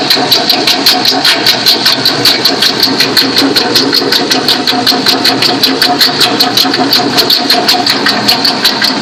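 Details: Toyota Sequoia 4.7 V8 running: sharp rapid chirping tick and steady high squeal from the worn idler pulley bearing on the fan bracket, not the timing-belt-driven water pump.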